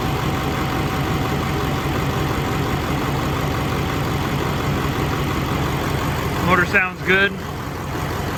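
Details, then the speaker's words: LBZ Duramax diesel swap, first run on a rigged-up temporary fuel system with lift pump: smooth even idle clatter, no knocks or misses, occasional slight lope owner chalks up to the lift pump; normal idle. "funny noises there's a cts2 it's got a little lope sometimes i don't i've kind of chalked that up to the lift"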